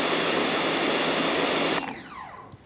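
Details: Ryobi 1600 PSI, 1.2 GPM electric pressure washer (RY141612) spraying a cinder block with the 15-degree nozzle: a loud, steady water-jet hiss with no surging or pulsing until shut-off, so it is running normally.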